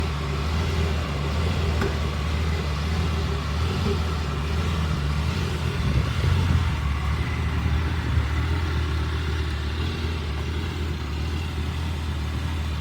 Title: Lamborghini Gallardo 2006 Spyder Pre LP Rough Idle after Hurricane Helene Hit Like Button #lambo